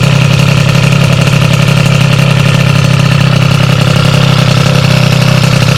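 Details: Sym DD50 scooter with a Polini Corsa Mini two-stroke build, jetting set after a basic check: steady crisp buzzing idle that picks up cleanly on throttle; normal idle and revving, well jetted.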